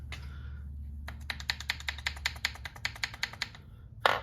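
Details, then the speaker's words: VW Type 4 1700cc engine with case split open, connecting rods rocked by hand on the crank: sharp metallic clicks, about five a second; excess rod play, about the same on all rods. "I know there's supposed to be a little bit of play in there but those are excess in my opinion and they're all pretty much the same"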